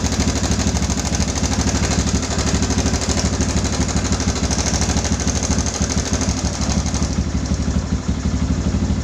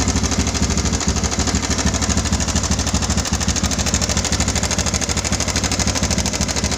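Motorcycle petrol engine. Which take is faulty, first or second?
second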